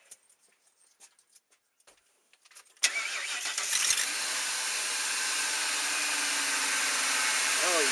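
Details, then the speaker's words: 2001 Ford E250 van V8 after replacing spark plugs and coil packs to cure a misfire: short crank, then the engine catches and settles into a steady, even idle with no stumble or popping; vibration gone, normal start and idle. "yeah, I can tell a huge difference. Vibration is totally gone. No more vibration in the engine."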